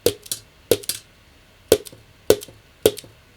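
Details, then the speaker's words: Vintage Selmer Mark VI saxophone after overhaul: sharp metallic clicks with quick rebound as the low C key is pressed, from an improperly fastened screw on top; nail polish on the screw will stop the clicking. "I still have a bit of clicking on my C but that's because this screw on top hasn't been fastened properly."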